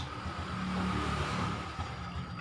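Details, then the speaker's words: Honda Supra 125 after fixing reversed starter motor, caused by magnet installed backwards in casing: engine fires on starter and runs steadily, smooth rev rise and settle, no grinding or misses; healthy. "Ayo kita coba starter Oke sudah beres ya ini mesin sudah nyangkut udah mau nyala"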